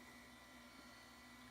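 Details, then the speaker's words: Compact Macintosh Classic, first power-on: fan and drive whir with faint high whine, screen stays dark, no startup chime; bad analog board suspected, leaky capacitors possible. "the screens on even turning on and there was no startup chime so already not too confident usually if the screen doesn't turn on that means have a bad analog board"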